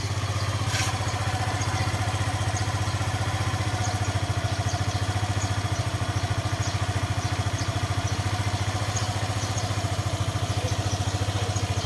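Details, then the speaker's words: Motorcycle that earlier stalled as its idle dropped, after swapping a short screw for a longer one, running about 15 minutes: steady idle, a touch high, with no sputter or dying. "So yun Medyo tumino naman siya h na siya bumababa yung Menor kanina kasi bumababa yung Menor namamatay e"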